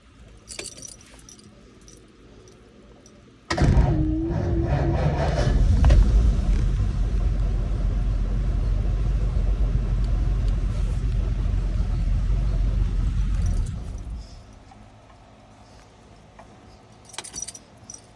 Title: Hot slow Start with whining sound